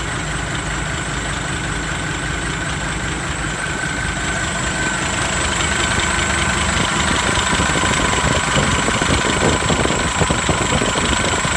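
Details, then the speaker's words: Pickup ("Max") diesel idling after a new turbo replaced the old one whose impeller blades broke; exhaust pipe not yet refitted. Even clatter with a thin steady whistle rising slightly with revs, sounding the same as the original turbo of the same brand: healthy turbo. "เทอร์โบดังแล้วครับหวานเจี๊ยบเสียงก็ไม่เปลี่ยนครับเหมือนเดิมก็สโบอันเดิมเลยยี่ห้อเดิม"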